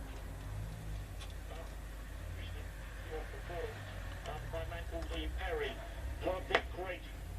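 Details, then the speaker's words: Bush VHF61 valve radio, circa 1960, revived after long storage in a garage/shed, tuned to VHF band: faint station audio under steady hiss and low hum, weak VHF reception; recap did not cure fault, a failed valve involved. "Let's see, I'm on VHF, shall we? Not very much."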